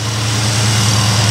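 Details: 1976 Pontiac Trans Am V8 just after Holley Sniper II fuel injection install, plus new fuel system and power steering line: deep, even rumble with steady low throb, no knocks or misses; healthy idle.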